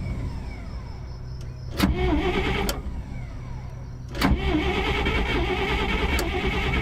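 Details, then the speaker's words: 1959 Dodge D-300 truck with a new starter wired to a push button. Engine fires, but the starter keeps whirring and winds down over the idle. Starter stays engaged; suspected solenoid holding voltage and keeping the other solenoid pulled in. "This solenoid is holding some voltage and keeping the other solenoid pulled in"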